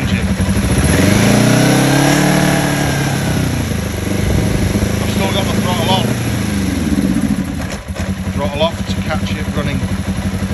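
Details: Kawasaki ER5 twin, warm engine, fuel tap bypassed with carburetor fed directly; idles steadily but on opening throttle revs climb briefly then sag and stumble; suspected deformed carburetor diaphragms.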